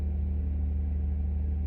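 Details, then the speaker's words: Saab 9-3 Aero 2.8 V6 after replacing all ignition coils and spark plugs for a misfire: low, steady idle with even pulse, no stumbles or burbles as before; runs smoothly. "but I don't hear the burbles that I did before, so let's give this thing a test drive."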